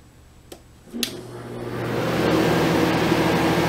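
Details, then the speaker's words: Portable air conditioner, started after sitting stored for about five years: a click, then a steady low hum that swells over two seconds into an even fan rush with no rattles; clean start. "start this one up to see what it see how it sound after sitting for five years probably happy to be started up here we go"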